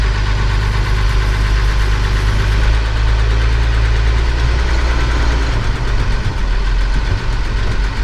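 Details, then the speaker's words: Steiger tractor diesel idling in the morning before planting barley. Loud steady idle with a light regular tick over the rumble; ticking noise of unknown source. "I think this is one of those audio tacos you can hear it ticking"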